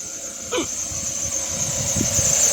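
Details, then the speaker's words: Accessory belt at idle: a high, constant squeal rides over the engine throughout; slipping accessory belt, fixed by rubbing a bit of candle wax on it. "Um barulhinho chato na correia de acessórios dessa corre."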